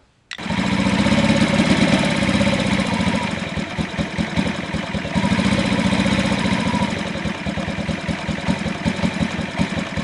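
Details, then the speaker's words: 2003 Honda Ruckus scooter single idling lumpy and uneven, its beat wandering and stumbling, after a fuel pump and fuel filter replacement. It is giving a wet spark plug, and the owner thinks the carb jet was drilled out too much. Running rich. "all right so I replace the fuel pump and fuel filter and now I'm getting too much too much gas I mean it's give me a wet spark plug so I'm thinking I drilled that jet out too much"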